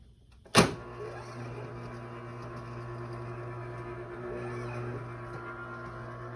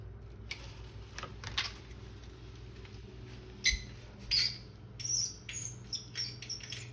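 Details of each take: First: Garage door opener after fixing the motor's start capacitor, which caused a start delay: sharp click then immediate steady low motor hum as the door travels, slightly rough; no delay now, normal operation. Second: Squeaking powered blinds: faint high-pitched chirps in irregular bursts over quiet room hum as the mechanism moves; cause unclear, owner asks how to lubricate them.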